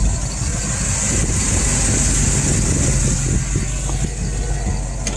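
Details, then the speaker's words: FiTech fuel-injection system, inline fuel pump at idle with the pump setting back at 75: a steady high-pitched whine over the rumbling exhaust, louder the longer it runs, as the pump works too hard at low flow; changing this setting cured it. "so now you can tell with this set back on 75 the pump is under some extra stress now and so probably building heat as well the longer it runs like this the louder it gets and it gets to a point where it's it's excessively loud you hear it over the exhaust and it sounds like it's malfunctioning"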